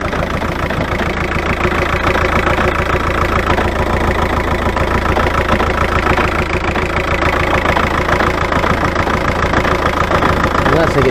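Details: VW Touran BKD diesel after fitting a new tandem pump, lift pump and a Racor S3213 fuel filter to fix hard starting and stalling when hot: firm, even idle clatter at 3–4 beats per second, no stumbling or hunting. Normal idle.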